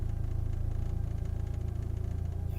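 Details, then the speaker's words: 1998 Mitsubishi Eclipse GST (automatic) at idle after fitting FIC 650cc injectors with an ECUflash base tune. Steady even thrum with slight intended vibration from different motor mounts. Owner thinks the injectors needed cleaning. Normal idle. "when yeah when it idles it should uh it's the car should vibrate a little bit a little bit cuz I have those uh those different motor mounts"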